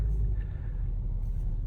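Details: Mercedes E-Class (possibly E350), towed in after trouble on the interstate: low, rough internal growl from the driveline as the car barely creeps forward in drive; front axle shaft not fully seated in the differential.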